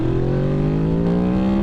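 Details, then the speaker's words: Stock Honda VFR800 782cc V4 under acceleration on the road, dash warning light on: clean steadily rising note with slight change near the top as VTEC engages, supposedly around 7,000 rpm; normal. "Supposedly, it has VTEC at around 7,000 RPM."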